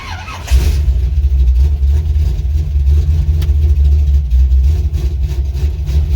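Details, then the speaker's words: 1985 Chevrolet C10, ZZ4 350 V8, 700R4, carbureted, new fuel pump installed backwards, fuel line rerouted: fuel pump sounds as it should, V8 then starts into deep even rumble with no misfire. "Oh yeah, that sounds better. That's the way it's supposed to sound."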